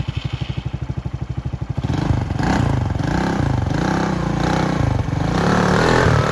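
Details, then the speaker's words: Polaris RZR 170 youth side-by-side after stator repair, battery a little weak; previously took about five minutes to start: even starter cranking about three pulses a second for under two seconds, then catches at once and runs steadily; normal quick start. "now this thing normally it would take probably a good five minutes to start and there it is"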